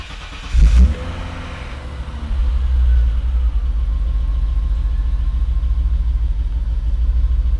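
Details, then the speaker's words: 1987 BMW E30 325i cold start after a day or two, now on fresh gas instead of old gas: quick catch, brief flare, then smooth, low, even idle with no misses; sounds much better, healthy cold start. "much better she sounds a thousand times better it's amazing what new gas will do for you"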